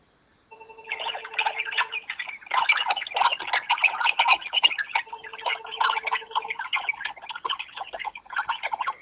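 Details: Garbled noise on an iPhone 3G running iOS 4.1 on the SFR network in France, heard on both sides of the line in about three quarters of calls made or received: choppy, warbling electronic chatter with brief buzzing tones.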